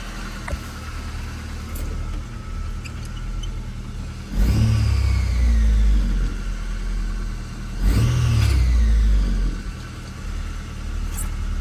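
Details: Nissan Frontier's first startup after a new alternator belt was fitted to cure a startup squeak, belts earlier washed of grease and grime: engine catches, settles into a steady idle, two clean revs rise and fall smoothly; sounds healthy.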